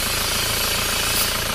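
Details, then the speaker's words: Isuzu Panther diesel just started and still cold, idling with a steady hiss over the clatter; clogged PCV valve in the valve cover traps blow-by pressure, which blows out the dipstick tube, hiss stops when it is pulled. "Ini diakibatkan kartu PCV buntu teman-teman, yang di sini buntu. Jadi kalau ini kita cabut, kalau kita pasang ini mendesis."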